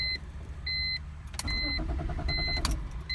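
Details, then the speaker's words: BMW E46, crank no start, no codes, fuel pump silent with rear seat out: warning chimes then starter spins the engine evenly but it never catches; no fuel pressure suspected. "she came out this morning I wouldn't start cranks if it doesn't start go ahead and show you that"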